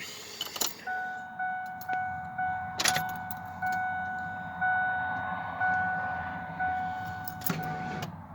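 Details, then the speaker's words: 1997/98 Ford F150 XLT 4.2 V6, 131,000 miles: starter groans through slow dragging compression pulses about once a second before catching; battery about a year old, engine has a misfire needing a tune-up. "That was pretty slow. It did fire up."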